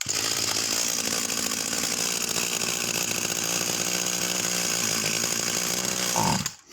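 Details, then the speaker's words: Vintage Husqvarna 44 chainsaw, just un-seized, with the high needle screw wound in and the tank suspected of siphoning fuel: high buzz that wavers and hunts unevenly, then dies abruptly; carburettor suspected. "Real strange set of characteristics. Really, really strange. So I do think that's a carburettor."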